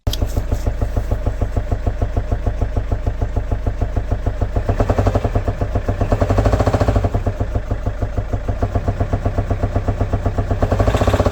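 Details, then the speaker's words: Car engine one week after a service done without replacing the oil filter. A rough, uneven knocking pulse over the idle at about eighty per minute, swelling at times. It is heard at morning start and goes after a few minutes, coming and going. Cause suspected, not confirmed. "Then fast forward 1 week later, we started hearing the sound from the engine. I'm gonna share the video of the sound."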